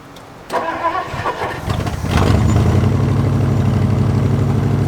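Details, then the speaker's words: Edsel's first start, with fuel added and no leaks seen: it cranks, catches and settles into a steady, even idle with no ticking or knocking. The engine sounds healthy. "Wow, cool. Sounds good. Our job just got a lot easier."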